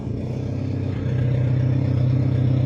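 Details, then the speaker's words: Holed exhaust before replacement, engine warming up: deep loud blatting drone swelling as revs rise, no muffling, almost nothing exiting the tailpipe; exhaust leak ahead of the tailpipe. "On va voir s'il y a vraiment une grosse différence entre un échappement percé et un échappement pas percé."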